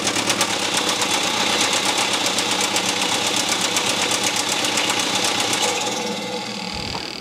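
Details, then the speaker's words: 2013 BMW F31 318d diesel at idle, crankshaft pulley refitted without its oil seal so oil squirts out: sharp, regular knock about four times a second persists until shutdown; internal knock, cause still unknown. "right it runs but uh it's still definitely knocking"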